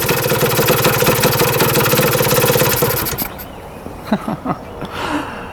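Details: 1977 Kawasaki KE100 two-stroke enduro, won't run without choke: rapid popping beat for about three seconds then dies to near silence, won't hold idle; air screw turned in.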